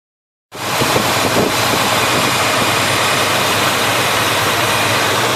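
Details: Chevy 350 V8 in a 1971 Chevelle, chased for a persistent misfire (number one plug had been wet), after carburetor parts swap and readjustment with the plug now dry: catches and settles into a steady, even idle with no misses or stumbles.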